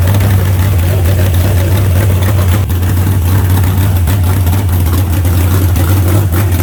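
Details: Fresh carbureted 388 small-block Chevy (heads and intake from the owner's 406, crew-cab Chevelle) idling out of the car during first run: deep, steady burble with an even beat, no knocks or misses, settles smoothly; about 80 psi oil pressure. Normal idle.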